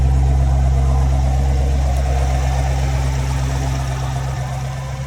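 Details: 2014–2019 Chevrolet Corvette C7, manual, after a no-crank no-start fixed by replacing the bad starter: steady, even low rumble with no misses, knocks or ticks; idling smoothly and healthy.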